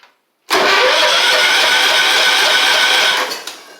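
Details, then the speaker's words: 1985 Wheel Horse 312-8 garden tractor revived after years sitting, fuel pump now pumping but water possibly still in fuel, carb spray tried: starter spins steadily about three seconds with no firing, crank no-start, cause suspected not confirmed. "it will not fire for what anything right now even want to spray carb spray right there"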